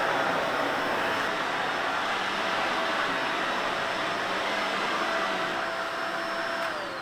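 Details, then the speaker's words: Shark Navigator vacuum after filter change that fixed loss of suction and high-pitch noise: smooth, even motor whine at steady pitch, then winding down at switch-off, no squeal; working perfectly. "you see after the filter change everything's working perfectly"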